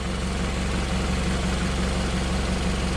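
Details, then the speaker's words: Nissan Altima with P0420 code and exhaust smell, underside with the rusted-off cover removed (it had also chattered): even idle with a soft rhythmic puffing tick; owner hopes it's only the upper gaskets, no visible holes; exhaust leak. "but I'm hoping that it's just the gaskets up top cuz I don't see anything any holes or the noise coming from this"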